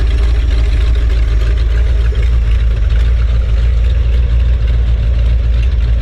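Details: 1970s Ford dentside ramp truck V8 first run after about 10 years sitting, now on HEI ignition: low heavy idle with a loose, uneven lope and a hiss like a running faucet; owner suspects it needs a fuel pump and maybe a carb rebuild.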